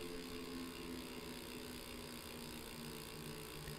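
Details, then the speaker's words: Tacx Neo 2T smart trainer freehub after regreasing, coasting, with a shotgun mic pointed at the trainer: soft, even purr with no sharp ratcheting ticks, and the small internal fan is now louder; the pawls run quiet and smooth. "It still has that purr to it, not that ratchety tick."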